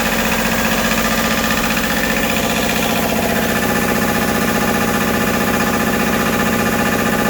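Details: Westerbeke W13 4.4 kW diesel generator running after the glow plug solenoid was replaced and its terminals cleaned to cure intermittent hard starting. Loud, steady diesel clatter with an even beat and no stumbling or hunting.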